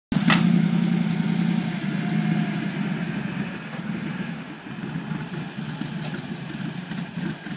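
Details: Mercedes G55 after a Kleemann supercharger install: uneven, loping idle with a wandering beat; rough idle from vacuum line issues.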